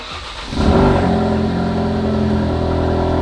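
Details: Ford Focus RS starting after a new passenger motor mount and an upgraded mountune rear motor mount were installed, replacing a believed-worn passenger mount that had caused a shaky startup; the starter catches with a short rev flare, then a steady, smooth idle with no clunks.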